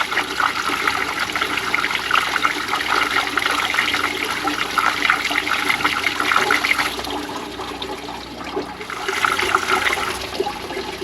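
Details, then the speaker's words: Ram 2500 with no heat, heater core flushed with a held hose, no cleaner; strong steady rush and splash of water after a blow-through suggesting blockage or air gap: normal heater core flush flow. "Now we have good flow coming"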